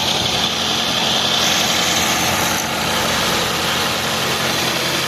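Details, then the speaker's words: 2011 Toyota Camry 2.4 Hybrid automatic, about 250,000 km, engine bay view while idling: steady even hum, no stumbles or misses, faint whir on top; smooth normal idle. "รถสตาร์ทเครื่องอยู่นะครับเครื่องเดินนิ่งเดินเรียบไม่มีสะดุดนะครับ"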